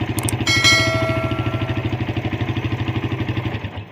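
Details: Suzuki Satria FU with dead electric starter, restarted by bridging the fuse directly to the starter, fault traced to starter-switch wiring: brief crank, then an even, rapid single-cylinder putter; clean healthy idle, no misses or rattles.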